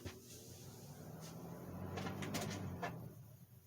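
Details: One of two vintage box fans (3-speed Fasco 120 V 1.1 A or 2-speed GE 115 V 3.6 A) running, motor just cleaned and serviced: a low, steady hum under the fan noise with a few handling clunks; motor hum, cause not evident.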